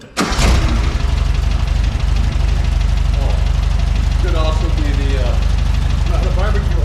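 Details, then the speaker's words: VW Beetle engine after correcting the plug-wire firing order: steady, even low rumble at idle with no misses or knocks; normal idle. "that sounds better don't it oh Beetlejuice is alive again [Music] well folks sounds like a VW"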